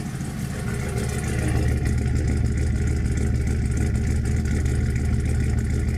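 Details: 5.3L LS turbo V8 after installing Bosch 044 fuel pumps, with leaking washers replaced by O-rings and rubber washers: loud, steady, deep run settling into an even idle with a slight lift in level; normal idle.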